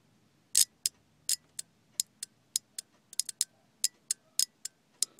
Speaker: I'm not making good contact with the radio since why it's kind of chattering but you can hear the relay is clicking which means that the uh the one that opens the loop will uh work